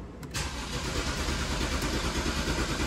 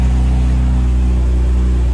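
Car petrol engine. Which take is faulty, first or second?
first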